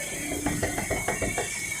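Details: Quick dry clicks, about six a second, as the wheel is rocked by hand, with visible steering play and irregular tyre wear; worn tie rod end and inner (axial) tie rod joint.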